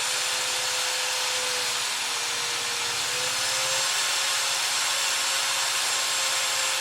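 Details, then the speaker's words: Known-working mini quad brushless motor on an ESC with servo tester, powered from a 2S or 3S LiPo: steady airy whir with a faint high whine at an even pitch, never stumbling; normal motor running. "so here you hear the motor starting up as you would when you co get up with an e SE and now we're going to rotate the dial in our circle tester see if it's gonna spin"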